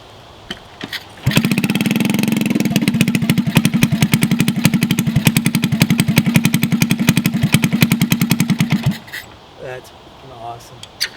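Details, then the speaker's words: Honda CT70 mini bike, garage find sitting for years, fresh fuel, first start: small single putters with a dull hollow burbling beat and uneven pops, sounding underwater because the exhaust pipe is rotted in half. "all right well it is a runner so I'm excited about that it sounds like it's underwater with that pipe might just try and cut something today cut it off find another exhaust and we'll weld in a piece"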